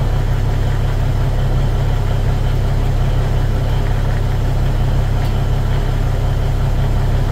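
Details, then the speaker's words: Cummins NT855 Big Cam diesel after rocker install and valve/injector adjustment; deep, even low thrum and steady rhythm, no knocks or misses; normal idle. "I'm pleased this punch it runs good sounds good 42 lbs of oil pressure um that's with the coolant at about 140°"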